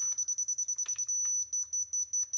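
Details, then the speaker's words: Dovoh DR1 laser receiver searching for the laser line close to the laser: rapid chirping beeps about eight per second, brief steady tone, then slower beeps as it signals to move down or up; very sensitive, receiver off grade. "ways you can hear it beeping it's starting to see the the line and it wants me to go down a little bit yet this thing is really sensitive so it's hard to get it right in the middle"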